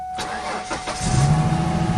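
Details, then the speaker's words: 1999 Ford Mustang sitting for several years, cold, cranks but wouldn't start: cranks a few strokes, catches, settles into a low, slightly lumpy idle; misses and shakes attributed to air in the fuel system; starts after extended cranking, running rough. "okay so it's gonna have it's gonna have some misses and some shakes because it's got a lot of air in the system it's running"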